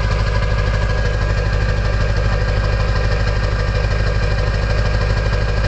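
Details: Early 1999 Ford F-250 diesel, cold start at 34°F on fast high idle: with the exhaust back pressure valve (EBPV) closed, a loud, steady whistle rides over the diesel clatter during warm-up.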